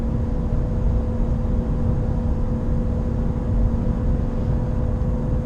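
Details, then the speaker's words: Nissan Qashqai J11 at 84,000 km: loud, steady low drone while cruising at about 110 km/h. It fades to nothing near 20 km/h and rises with road speed; owner suspects a wheel bearing, unconfirmed. "οπότε θα καταλάβετε πόσο πιο ήσυχο γίνεται το αυτοκίνητο, πόσο πολύ μειώνεται το βουητό αυτό. Είμαστε στα 110, το βουητό είναι έντονο."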